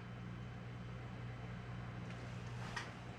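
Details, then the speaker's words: Custom-built gaming PC on power-up with a known good power supply before POST: low steady hum of fans and pump spinning evenly, no rattles or whine; normal fan and pump operation. "fans are spinning pumps operating one second here let's get a post"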